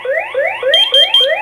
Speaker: So let's set one of these in the water and see what it does. Okay, it beeps here.